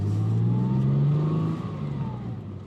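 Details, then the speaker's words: 2004 Ford Mondeo ST220 V6, previously running poorly, now fixed: clean, even pull as revs climb and ease off on the road, no misses or knocks; running smoothly, though a slight clutch slip is felt in third gear. "Engine sounds beautiful now and it's performing like it should be doing. So now it's absolutely smooth."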